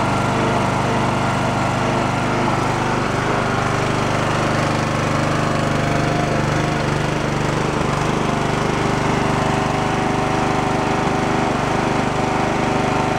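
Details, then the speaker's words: Abandoned Poulan Pro riding mower small single-cylinder, excessive valve clearance and a missing valve keeper, fuel had flushed into the engine: chugs steadily at a fast patter with no bottom-end knock but only runs on choke; carburetor has no working idle circuit. "uh carbs and mess it only run on the choke you can see where we had no idle circuit and it was just trying to die"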